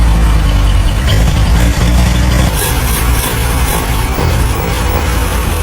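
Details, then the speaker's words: 80-year-old 1942 Willys Jeep engine, freshly rebuilt after sitting seized for years, first start after reassembly: catches into a steady, even low idle with a brief rev, no knocks or misses, under music. "And with that, this 80-year-old engine finally roars back to life again. It's running smoothly."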